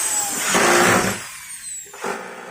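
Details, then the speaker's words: Maktec MT60 electric drill after service, previously fully stuck and only buzzing; now spins up with a clean, high whir and winds down freely, running normally and no longer stuck. "okay, guys, now it's normal, it's not stuck"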